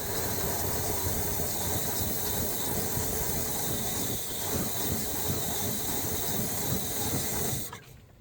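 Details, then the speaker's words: 1986 Chevy Silverado 350 small block V8, first run after no-start, two new plugs and old plugs gapped .050: uneven, lumpy idle with ragged exhaust pulses before shutting off; plug gaps suspected slightly too big, planning .040. "i don't know if y'all were listening but it sounds like the gaps may be just a tad bit too big"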